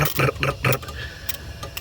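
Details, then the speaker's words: 2001 Chevy Monte Carlo 3.8L with random stalling, stumbling and no-starts: wiggling the ignition module connector makes injectors click in sharp irregular bursts and RPM signal spike to 32,000; bad ignition module. "i was getting rpm signals up to 32 000 rpm just a little while ago and that's me wiggling it you can hear the injectors just fritzing out so there it was bad ignition module"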